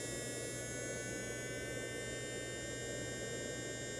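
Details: Frankentrain Laboratories smoke assembly wet test, fan motor run at raised voltage simulating faster speed: steady, even high-pitched whir with a faint hum underneath, smooth and healthy.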